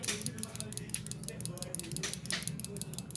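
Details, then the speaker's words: Injector from a Yamaha Mio J fuel-injected scooter that won't start (injector sprays constantly with key on), bench-tested with a pulser; rapid light ticking with uneven spacing and strength, abnormal; suspected weak solenoid or dirt jamming the nozzle. "tidak normal yang seperti ini Seharusnya suaranya bukan seperti ini"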